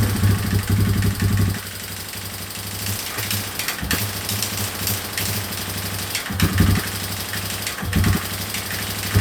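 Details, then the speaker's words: 2003 Yamaha Wolverine quad that barely moved after refitting the tank, started on a jump pack after a week sitting: low, uneven idle that keeps stumbling and dipping, running only on choke; the main jet was found clogged with debris while the pilot jet was fine. "runs good with the choke, so I'll just pop the ball off. And hopefully there's just crap in there right now, so we will get to that. Okay, so I did get the main jet out, and it does have some crap in it, so hopefully that was the problem."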